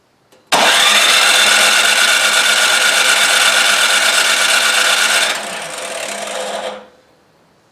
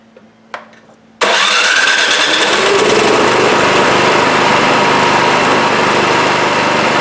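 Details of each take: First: Craftsman 26 Quiet snowblower (model 247.886940), no-start: electric starter whirs at a fast steady rate for about six seconds without firing; compression near 70 psi is fine, so fuel or carburettor is the likely cause. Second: Craftsman 26 Quiet snowblower (model 247.886940, about 8 hp 208 cc single-cylinder) after carburetor fix for a no-start: quiet, then catches on electric start and settles into a steady, even run with no misses.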